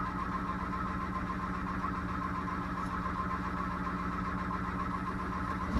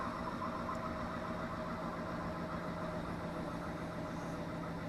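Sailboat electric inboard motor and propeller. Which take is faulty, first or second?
first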